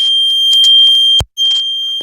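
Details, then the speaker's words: Fire alarm sounder (possibly model 151-92) on test: piercing continuous high-pitched blaring tone, briefly cut off once then resuming; sounder working, before electrical tape is put over it. "This is like blaring."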